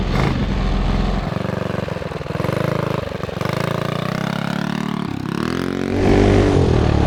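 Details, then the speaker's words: 228cc Tillotson stroker racing engine (about 23-24 hp) on a Monster Moto mini bike, small carburetor fitted, after ignition adjustment: small revs rise and fall cleanly with no stutter or breaking up; smooth through mid rpm. "I don't hear any breaking up at all. I think we've got it."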